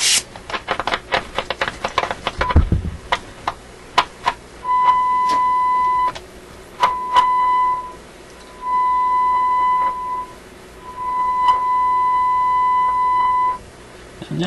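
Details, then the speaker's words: RCA A24 antique vacuum tube radio, rapid crackles and scratches as the dial is tuned, then steady whistling tones between bursts; scratchiness while tuning, cause unknown, intermittent trouble. "sure what it is we're hearing when we hear that scratchiness as i tune through it i'm not sure"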